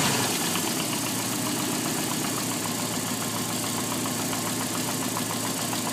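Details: Alfa Romeo 145 1.6 boxer petrol engine at idle: a quick, light ticking running steadily over the engine note.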